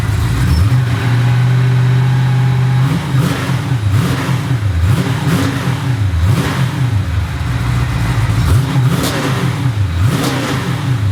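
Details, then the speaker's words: V8 with new homemade stainless X-pipe exhaust, mufflers open out the back without turndowns: deep even burble through revving blips, no misses; healthy loud exhaust, a lighter water pump or alternator sound possibly audible. "I think I'm pretty happy with it still calm loud but not it's got every other month actually sounds like you can hear what sounds like a water pump maybe over the exhaust or maybe it's the alternator"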